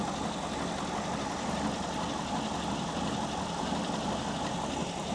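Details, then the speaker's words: WWII Volkswagen Schwimmwagen, first start after cleaning and refitting the carburettor, air filter off: low uneven chugging idle struggling to keep running; idle speed and idle mixture not yet set. "firstly is the actual idle speed so that's the RPM that the engine's turning over cuz you can hear it's sort of struggling a bit it's a chug chug chugger"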